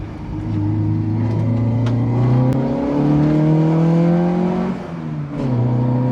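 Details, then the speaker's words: Autobianchi A112 Abarth with rebuilt engine on test drive shakedown: smooth rising note climbing through revs, dropping at each shift and climbing again, even and strong; normal acceleration. "this car is quick but compared to modern cars of course it's not very quick but the way it delivers the power and the way it handles makes it feel incredibly quick"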